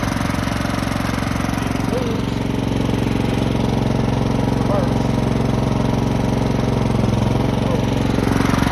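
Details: Craftsman lawn tractor, 15.5 OHV, sat 3–4 years, nest cleared, battery charged, fresh gasoline: a steady, even beat at about three pulses a second with no misses or surging; running normally.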